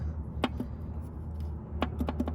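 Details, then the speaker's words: 1998 Subaru Legacy Outback, engine knock persisted after replacing cylinder 3 rod bearings, engine opened and off: rods rocked by hand give sharp metallic clunks in uneven bursts from excessive rod bearing play on several cylinders; engine judged toast. "that doesn't sound good and when I go to this one up here that doesn't sound good either and there's another one in here and that one sounds even worse so pretty much the engine's toast"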